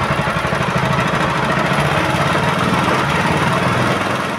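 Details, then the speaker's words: Honda GX160/200 single-cylinder petrol engine after governor adjustment: holds a steady, even speed with no hunting or surging, rising only when throttled and dropping when released; normal governed running. "Dan sekarang kalaupun mau digas dia itu langsung stabil ya, tidak seperti sebelumnya langsung naik sendiri dia. Jadi ini kalau kita gas baru dia naik gasnya."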